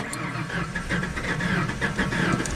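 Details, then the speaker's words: 1996 Ford F250 7.5 big-block V8 after rebuild (new pistons, rings, camshaft), warming after cold start: starter whirs fast and evenly with no compression beats, engine losing compression while running super rich. "something's really really wrong cold it I mean right now it sounds like the starter is just spinning the engine's not turning over but it is"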